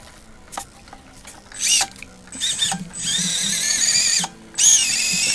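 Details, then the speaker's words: SCX24 crawler that stalled at full lock, replaced with a 050 motor, battery at 3.83 V, held stationary at full lock on a silicone mat: sharp high whine holds pitch without bogging; strong torque, stall fixed. "The wheels are on a silicone mat, so the torque is unreal."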